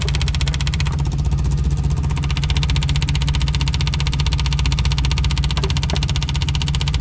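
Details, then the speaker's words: Old VW diesel after lift pump install while priming fuel system: steady rapid starter churning, about 100 pulses a minute, with no firing; cranks but won't start, low fuel pressure, possible leak, suspected not getting fuel. "sounds like you know noisy son of a [ __ ] I'm not sure it's getting fuel doesn't sound like it"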